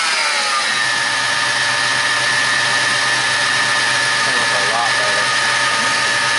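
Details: 1995 Chevy Lumina that sat about a year, after tightening the boot connections that caused hard starting: the engine catches and settles into a steady, even hum with no stumble or misfire. A healthy idle.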